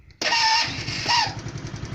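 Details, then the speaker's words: Lexmoto Echo 50 GY6 Euro 4 scooter with the engine management light on; a brief high starter squeak from long storage, then the small engine catches and settles into an even putter. "I will warn you it's a little slightly squeaky starter motor from being stood for so long"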